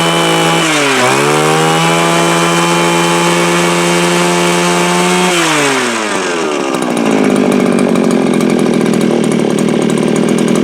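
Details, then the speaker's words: Viper two-stroke ice auger, started on choke: screams high, sags twice and won't hold revs, then settles into a ragged, uneven buzz; doesn't seem to pull fuel from the tank, carburetor needs a rebuild kit. "So what am I going to say? Needs a carb kit. Definitely needs a carb kit. It'll work."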